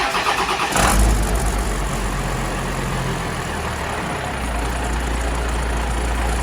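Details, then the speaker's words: 12-valve Cummins diesel after exhaust manifold replacement and retightening a loose V-band clamp: fires after a short crank, settles into steady, even idle clatter with no ticking or puffing; exhaust leak at manifold appears gone. "But yeah, it doesn't seem like that there's any more exhaust leak out of the manifold, which is great."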